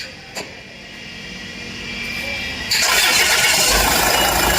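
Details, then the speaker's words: Land Rover after replacing a faulty V-belt tensioner that caused engine noise: starter catches and the engine settles into an even, smooth run with no belt chatter or rattle; quiet, healthy start. "यह देखो, कोई आवाज नहीं है। . बहुत चिकना।"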